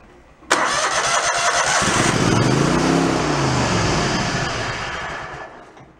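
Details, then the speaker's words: Mid-90s Toro Wheel Horse riding mower, dead since a drive-belt change, started on full choke with power back-fed for spark: it catches, idles a few seconds, then sags and dies; fuel shutoff suspected unpowered, so it only uses fuel already in the bowl. "Runs for a couple seconds and dies. Let me see if we can knock that throttle down. No, what might be going on is that if the carburetor has a fuel shutoff, it's probably the fuel shutoff not getting power."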